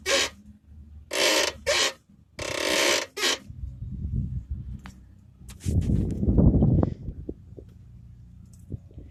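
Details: Mercedes-Benz W203 front end loaded: three harsh rubbery squeak-creaks then low thumping; front sway bar bushings likely worn; front suspension squeak.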